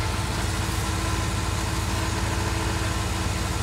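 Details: Ford Escape being started with starting fluid: a low, lumpy, uneven idle that sags as if about to stall; cause unconfirmed.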